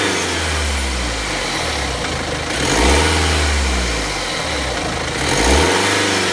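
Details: BMW X3 F25: repeated rev blips with rattly metallic clatter riding over the revs, timing chain noise.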